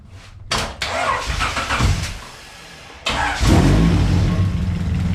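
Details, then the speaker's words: Honda Civic EG sedan with swapped H-series H22A engine, new header, intake and wiring; VTEC and some wiring not yet hooked up. Engine cranks, catches and settles into a steady, slightly lumpy, rowdy idle with a throaty rumble, loud through the header. Normal idle. "Now it feels really good. It's a little bit rowdy, and we still need to hook up this guy right here to the VTEC,"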